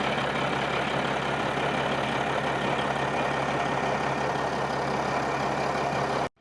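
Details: Caterpillar SS250 soil stabilizer 3406 diesel, sat 5–6 years, freshly started, about 40 psi oil pressure; steady even hum holding constant pitch at a little throttle, no knocks or misses; running healthy.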